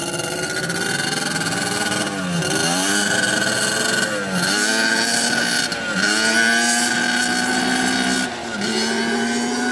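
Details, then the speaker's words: Yamaha Banshee two-stroke twin, rarely ridden, on its first test ride: revs climb hesitantly through each gear, muffled and bogging from 1/4 throttle right after each shift, not clearing out until about 4th gear. "It's got pretty good torque, but a little bit boggy. Right away, like when you shift? Yeah, right away when you shift."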